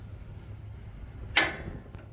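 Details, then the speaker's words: Blackstone griddle igniter after the fix of bending the igniter closer to close a big gap to the burner: a single sharp click, then a soft whoosh as it lights first try, where before it took about 10 tries; ignition now working properly. "fires up right away now one one turn fire up before i was doing it like 10 times trying to figure out what the problem was"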